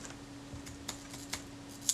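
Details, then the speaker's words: Kodak Retina II type 011 shutter with Ektar lens, set to half a second on the bench before servicing: faint, uneven, irregular ticks instead of a smooth buzz; the slow-speed escapement is sticking. "and we know this one's got problems because the slow speeds are pretty neat what's it like on a half second i can hear it clicking"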